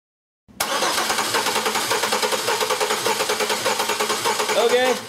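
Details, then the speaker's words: Compression sound test: a six-cylinder engine with a cylinder-specific misfire is cranked with start disabled (clear-flood mode or coil/injectors unplugged). One beat stays light each turn: no compression in one cylinder. "you crank the engine over and you hear that sound that's that's no compression in one of the cylinders"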